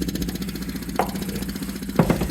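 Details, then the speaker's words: 1974 Rolls-Royce Silver Shadow with carburetors and points ignition, non-starter: ignition on, fuel pump tapped with a hammer starts working, fast steady ticking over low buzz with louder clicks; electric fuel pump running after being freed. "I'm just going to see if I can hear anything from the fuel pumps when I tap them with a hammer just in case give it ignition let's see oh okay it started working"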